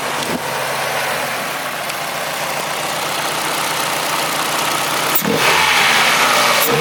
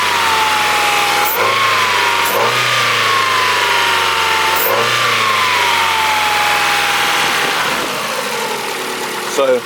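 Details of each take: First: Old Ford engine after new injectors and throttle body, jump-started on flat battery: fairly steady idle under loud intake rush heard through the filter, faint occasional unevenness; running better but slight stumble at idle. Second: Abandoned Ford engine after new injectors and throttle body, run with accessory belts removed: revs up and down with no squeal or chirp, noise gone, so it came from a belt-driven part rather than the timing belt.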